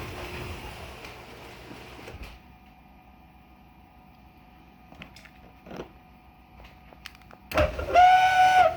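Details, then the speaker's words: Martin garage door opener that opens fine but screeches only while lowering the door: a quiet hum, then a loud, shrill whistle-like screech. The cause is unknown. "okay so it's only when it's releasing the door down that it makes that noise"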